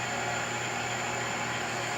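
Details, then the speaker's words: Smithy 409 mill, new, started from control panel and run forward: smooth constant hum with faint steady high whine, no knocking or grinding; normal spindle operation. "So you turn it on, hit start, you're gonna hear everything power up. Hit forward."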